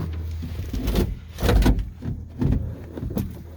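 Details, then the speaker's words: 12-valve Cummins diesel in a 1949 Chevy cab-over, sat for months at about five below zero with no preheater: long cold cranking with low uneven churning and occasional firing, soot, never settling into a run. "uh well she's firing a little bit so there's a chance look at all that soot and give it a minute here to let that starter cool down"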